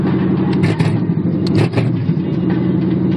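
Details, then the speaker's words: 1977 Monte Carlo V8, not yet warmed up after sitting a day or two: fast idle stumbling and dipping unevenly on choke, better than before; rough high idle when cold. "Still not there. Like I said, you can hear the choppiness of it, or at least the cutoff that it was doing before to be, a lot better."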